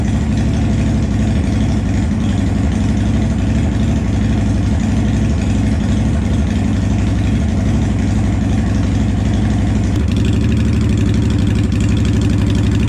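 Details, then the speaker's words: 2007 Honda Shadow Spirit 750 V-twin, first start after installing Cobra Streetrod Slashdown exhaust: deep loping idle rumble with blips rising and falling cleanly, no leaks or rattles; healthy idle and revving. "so we're gonna fire this baby up for the first time I have been waiting in suspense but we're gonna fire it up and see what it sounds like"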